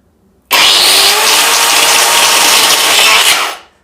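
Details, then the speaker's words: Angle grinder switched on before a bearing replacement: a high, harsh spin-up with a rough gritty hiss over the whine, then winding down; sounds like something breaking inside, a worn armature bearing. "इसके अंदर जो आवाज़ है वो कुछ अलग सी ए रही है यानी की कुछ टूटने के जैसा इसके अंदर जैसे कोई टूट रहा हो इस तरह से आवाज़ आती है"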